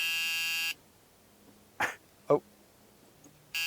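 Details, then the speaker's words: 1970s Pontiac Phoenix, off the road for many years, with no ignition switch. A steady, harsh electric buzz sounds, pauses a few seconds, then resumes: the door-ajar warning buzzer with the key in. "whoa it's yelling at you scared me it's a door"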